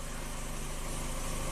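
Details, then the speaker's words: 1997 Kia Sportage 4x4 that surged at idle, after reinstalling idle air control valve and clearing emissions data: steady even low idle around 800-900 rpm as specified, no rise and fall in speed; no longer surging, stable. "Seems to be pretty stable. About, oh, I don't know, 800 to 900 RPM, right where it's supposed to be."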